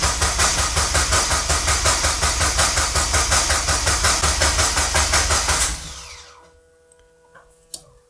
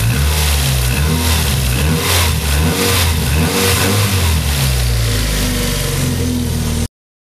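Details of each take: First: Mazda MX-5 Miata engine just reinstalled, first start attempt with fuel pump running: starter spins the engine at an even quick beat for about six seconds without firing; no fuel reaching the engine because the tank was never filled. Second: Restored Mazda MX-5 Miata drift car, engine just refitted, after retightening a loose part and refitting the power steering belt: engine idles round and even, revs cleanly several times and settles back without knocks, squeal or belt chirp; healthy.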